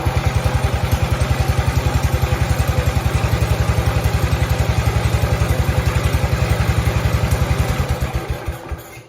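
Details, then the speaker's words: Cub Cadet 105 single-cylinder engine, started with the hydrostatic transmission pulled out, fires and runs with even thumping near 220 beats a minute, then slows on shutdown; timing fine. Owner suspects hydro load or worn camshaft causes hard starting in tractor. "Okay so there you go it starts so we know the engine's timed right everything seems fine"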